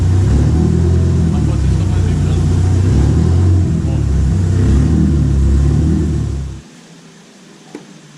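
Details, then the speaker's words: Chevette on stands with a jump-started battery, revved hard: fast, fairly even knocking over the low roar until shutoff, the exhaust pipe sitting too close and vibrating against the gearbox case. "realmente encostando aí com a vibração do carro ele fica vibrando e batendo na carcaça"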